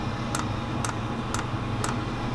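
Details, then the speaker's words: Diesel heater in a camper van during first-start priming, fuel lines being filled from the tank: light, even ticks about twice a second over a steady low hum from the dosing pump; normal pump operation. "that is the pump doing what it's supposed to do"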